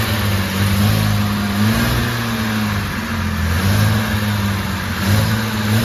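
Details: Jaguar E-Type Series 2 first start after complete rebuild, oil and coolant topped up, fuel pumps primed: catches and revs smoothly on choke, note rising and falling evenly with throttle, no knocks or misses; normal running.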